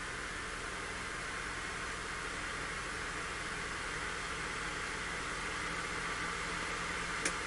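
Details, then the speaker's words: Miniware MDP-L1060 DC electronic load (60V, 10A, 100W max): voltage is ramped toward maximum power draw, about 30V so far. A steady airy fan rush with a faint tone near 2 kHz creeps up linearly with load; normal cooling fan speed-up. "it sounds like the fan speed is linearly increasing so right now we're about 30 volts and Jo about 60"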